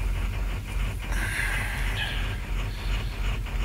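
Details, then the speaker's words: 2007 Ford 6.0 diesel, in for crank no start, ICP pressure reading far off desired; deep idle surges and sags about three times a second, loping like a pulling truck, shaking; cause suspected, not confirmed (bad lifter later found). "and i i'm sure you can hear us i can't even hold the camera straight this thing's loping like a pulling truck"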